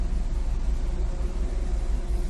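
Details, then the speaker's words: Maruti Suzuki Swift petrol/CNG engine after ignition coil replacement, idling with AC on: low, even rumble holding steady RPM, the earlier idle hunting and misfire now gone. "Start है, AC on है, आरपीएम एकदम परफेक्ट है, एक ही जगह पे खड़ा है।"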